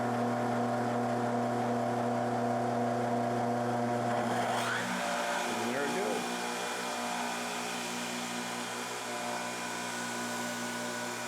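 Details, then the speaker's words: Yates American J180 machine motor on its first run after motor bell repair and a newly wired motor controller: a heavy, strained low hum with rough buzz, then it pulls up to speed; sounds like one or two phases only, runs fine once at RPM. "I'm trying to get the motor to run sounds like it's running on just one or two phases"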